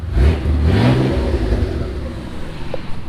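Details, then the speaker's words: Mitsubishi 3000GT VR4 twin-turbo 6G72, new engine running, good oil pressure, power steering cooler leaking: strong even revs climbing and settling cleanly, no knocks or ticks; sounds great. "This sounds great."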